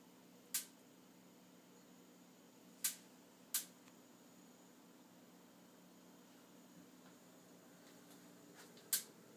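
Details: Stove in a quiet room: single sharp ticks at uneven gaps, four in nine seconds; intermittent ticking, owner suspects the electronic ignition is on the fritz.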